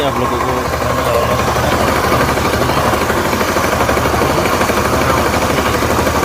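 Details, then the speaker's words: Motorcycle engine idling loudly with a fast, rough knock keeping time with the engine; after teardown the noise is traced to the crankshaft, worn crankshaft bearing knock. "ये जो crankshaft है ये जो crankshaft है पकड़ो इसको। ये crankshaft में साउंड हो रहा है।"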